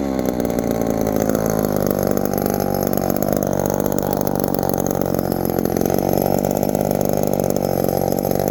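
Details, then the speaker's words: 1972 Remington chainsaw, finally fixed; the pitch climbs, then holds a smooth, steady buzz with no bogging or surging. It has power and runs great. "we got power boys this thing runs great"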